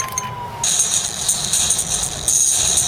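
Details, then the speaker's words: Atari Falcon 060 with a newly fitted small internal speaker playing a demo: tinny, harsh playback with a crackly buzz over the highs; the speaker is overloaded and distorting. "that's overloaded that yeah so playing some of that beams demo you can hear it's a bit tinny"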